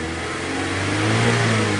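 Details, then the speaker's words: 2012 Mazda 3 Skyactiv revving after replacing a failed Duralast MAF sensor with an OEM PE01 unit (codes P0101, P0171): clean, even rev without stumbling or dying, where it previously cranked up and died. "Okay. It doesn't die. That's what was happening in the first hand, is this thing, when you would crank it up before, you know, the first time we changed this, it would just crank up and die."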